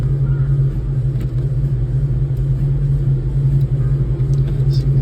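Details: 2006 Dodge Charger Hemi V8 after replacing the engine wiring harness that had a short causing a cylinder 8 misfire, scanner now shows zero misfires: deep, steady burble at idle, even low note with no stumbles or skipped beats, healthy.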